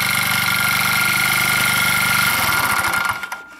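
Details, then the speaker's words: Old motor scooter, bought 2014 and unused since, started after sitting (battery dead): rapid uneven clatter over the running engine, then stumbles and dies after three seconds; something inside rattling and banging, source unknown, possible moisture inside. "I don't know if you can hear this no matter what it is it sounds like it's been here I'm not sure what it is and where it is but something's rattling so they run runs well"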